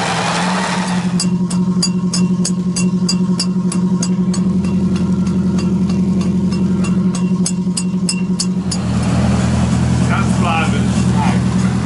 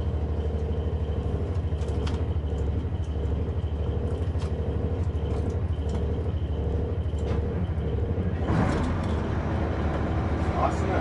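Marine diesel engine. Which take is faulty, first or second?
first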